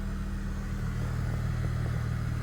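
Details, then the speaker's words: Free daily-driver car, just jump-started after repairs: held in drive on the brakes, a smooth, even low hum with no clunks, whine or grinding; reverse and neutral also quiet; drivetrain sounds healthy. "Nothing really. You can hear the drivetrain. Put it in a manual. Second. Doesn't go into third. Hopefully that's just because it won't let me. Everything sounds completely healthy."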